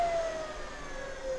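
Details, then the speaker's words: Kaabo Mantis GT electric scooter, 60 V, wheel spinning free on test: thin hub-motor whine drops in pitch as the limiter loop is closed, restricting it to 25 km/h mode; opening the loop speeds it up again. "voilà, là ça touche. Et au bruit, vous allez entendre le moteur qui se met en bridage. Si j'ouvre, ça accélère. Si je remets, on est en bridage."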